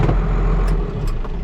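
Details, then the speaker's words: Tractor diesel, suspected to be a TM or MXM, running with a practically bare exhaust underneath and no heat shield: deep, loud, raw bark rising and falling with revs, nearly unsilenced like a straight pipe. More smoke than before, and the owner suspects someone has fiddled with the fuel pump. "In fact, if I just turn it off, actually, just listen to this. That sounds like a straight."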